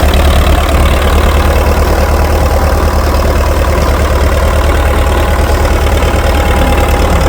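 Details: International TD-6 crawler diesel, sitting 11 years, after fixing the cylinder #4 misfire (number four now hot): steady low idle with an even beat of about three firings a second, all four cylinders pulling evenly, no miss or knock. Normal idle.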